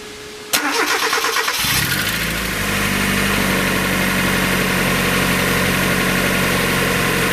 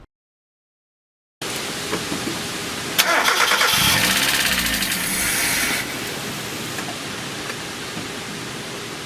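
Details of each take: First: 1994 Mazda Miata, about 56,000 miles, first start after new timing belt, water pump, radiator, hoses, thermostat and seals: quick crank, clean catch, even steady idle with no misses, knocks or squeals; sounds better than ever. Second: 1994 Mazda Miata, about 56,000 miles, first start after timing belt, water pump and hoses job (non-interference engine): cranks, catches, then ragged uneven idle; a connector left unplugged, and a vacuum leak caused misfiring.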